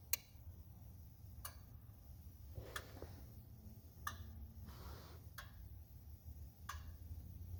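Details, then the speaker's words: 2004 Ford 6.0L Powerstroke, starts but runs rough; repeat scanner injector buzz test after wiring repair: sharp, evenly spaced ticks about every 1.5 seconds, number two injector stays silent; harness to be replaced, valve cover coming off: dead injector. "well basically basically I said I ran this test and I still am missing number two out of there go ahead and run this test again"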